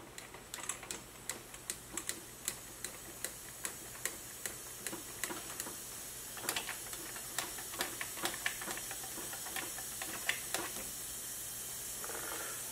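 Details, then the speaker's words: BMW E36 M3 S52 engine burning oil with metal in the oil, leak-down test with cylinder 4 at top dead centre on compression: steady hiss of air escaping into the crankcase, oil gurgling at the dipstick; suspected ring blow-by. "that is not exactly ideal and there is a large amount of air coming out of the crank case and if I pull the dipstick you will hear the oil gurgling"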